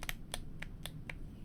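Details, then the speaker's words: New GMMK Pro keyboard with stock stabilizers, before swap to Durock V2: sharp key clacks with loose, hollow rattle on larger keys; stabilizer rattle. "not even going in properly. That does not sound good at all."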